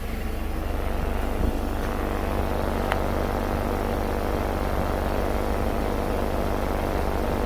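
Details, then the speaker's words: 2017 Jeep Patriot, six-speed automatic, idling in gear at the right rear, with a new axle and hub bearing fitted elsewhere: a low pulsing throb in time with the driveline. The differential shakes because the wheel sits too far in and binds the CV axle. "so what's causing this is exactly what's causing this this wheel is too far in and it's binding up the axle"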